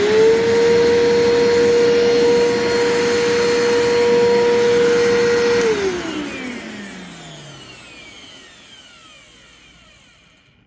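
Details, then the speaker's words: Vacuum cleaner motor, rough wind-down: steady high whine falls away with a rough, scratchy rattle as the motor coasts down; sounds better than on its last run, but the wind-down still suggests a worn motor. "that wind down is is pretty bad but it actually sounds better than it did the last time I ran it which actually gives me some hope"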